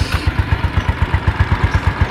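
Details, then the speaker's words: Yamaha Mio Sporty (around 2007) after repair: steady, even idle with no rough CVT noise. The rough noise at idle and on throttle was caused by the kick-starter pin rubbing the pulley shaft to the crankshaft. "bedakan sebelumnya sama sesudahnya. Oke, harus ya teman-teman, tidak ada suara kasar."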